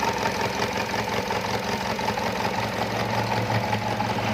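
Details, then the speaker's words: 2011 Chevrolet Captiva 2.4L petrol, customer reported check-engine light and shaking; uneven stumbling idle with irregular beat, code P0300 misfire on cylinder 2, confirmed by swapping injector to cylinder 4; faulty fuel injector, fixed by replacing it. "เจอโค้ชไรปัญหานะครับp0300นะครับการจุดระเบิดไม่ครบสูบของเครื่องยนต์นะครับ"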